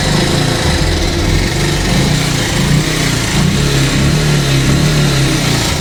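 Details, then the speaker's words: Bajaj Pulsar 150, long unserviced with badly degraded engine oil: steady single-cylinder idle with a dense metallic clatter over the exhaust note, an unusual engine noise; timing chain rattle from a broken tensioner. "इसका जो engine है वो बहुत ही ज़्यादा, इसमें जो है एक अजीब किस्म का एक शोर आ रहा है।"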